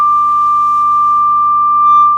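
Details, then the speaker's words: Marshall JCM800 Lead series guitar amp, switched to clean channel; single pure steady test tone with no crackle or dropouts. Clean channel output normal, though later noted as very hummy with guitar. "And that sounds good to me."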